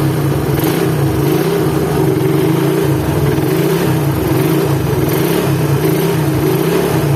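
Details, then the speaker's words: Suzuki Satria FU engine started cold, coarse running reportedly worse when hot: gritty drone and rough pulsing under the beat; worn crankshaft bearing with play, confirmed on teardown, transmission bearing also worn. "dengan keluaran mesin kasar ya kasarnya ini seperti di bearing kruk as sama rumah kopling coba Nyalakan ini kondisi mesin dingin ya nanti kalau panas kasarnya makin parah"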